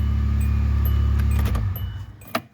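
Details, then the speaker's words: 2005 Hyundai Santa Fe with relatively low miles, fuel added after new fuel pump install; steady, smooth low engine hum then shut-off and clicks, new pump and fuel level sender working, gauge reading correctly. "So the new fuel pump is working, and our fuel level sender unit is working because it's reading correctly on the fuel gauge."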